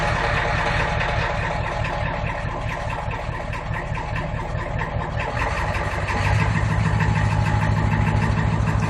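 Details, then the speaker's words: 1991 Ford F350 7.3 IDI diesel, stone cold after sitting all night, treated with fuel injector cleaner: fires up, settles into steady clattering idle, then throttle pushed to high idle, even and smooth; running really good. "I pushed the throttle a little bit there so I could go into its high idle but it's running really good"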